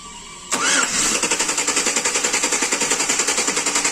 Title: Engine Cranks but wont Start |May Redondo Pero ayaw umandar ang makina | Easy tutorial for beginner